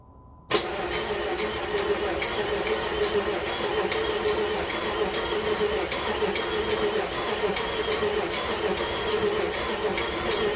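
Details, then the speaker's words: Jeep engine just reinstalled with new connecting rod bearings, cranking with injector fuse removed to build oil pressure: sharp metallic tick about twice a second over starter cranking, no firing; source of tick unknown. "Something's ticking. Wonder what that noise is already."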